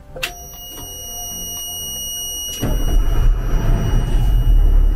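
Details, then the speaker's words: Army truck not run in four years, brakes locked without air: continuous high-pitched buzz of the air brake low-pressure alarm while the diesel cranks and fires; alarm expected to stop once air reaches pressure. "bip est l'alarme du système de freinage pneumatique. Et finalement, l'air atteindra la pression et s'arrêtera."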